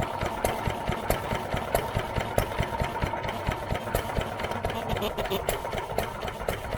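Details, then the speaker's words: New Idea Vari Speed engine, freshly restored and started after choking, idling unloaded with the mic near the valve: slow, uneven chuffing with a light valve click, no knocks or grinding. Valve working fine. "i'm gonna pick you up bring you over here and let you listen to this valve here clicking in there it's working fine"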